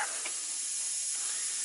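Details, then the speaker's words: Old tractor air system after refitting lines, still leaking: constant sharp hiss, no engine beneath, while air drains out; compressed air leak at quick-disconnect fitting. "those stupid things I hate those quick disconnect fittings I don't know why I needs a quick disconnect"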